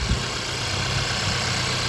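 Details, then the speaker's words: Double overhead cam gas engine, listened to under the hood at idle: steady idle with faint quick light rattle on top, typical upper-end valvetrain or fuel injector noise; normal. "right there there's a slight little rattling noise that's typically the upper end valve Trin or fuel injector noise that you're going to hear there that's not uncommon for most these double overhead cam engines"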